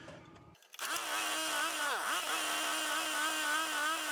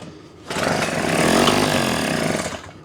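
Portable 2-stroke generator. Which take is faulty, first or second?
second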